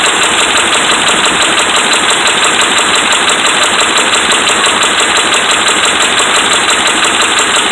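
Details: Dodge Ram 5.7 Hemi V8 held at raised revs with a steady, fast, even deep hammering knock from bad connecting rod and crankshaft main bearings.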